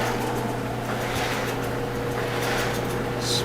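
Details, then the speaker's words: Whirlpool dryer that was rumbling from a broken support roller, after fitting new support rollers: drum turns with a smooth, even hum and no rumble or thump; normal drum spin. "Spinning smoothly now. Looking good."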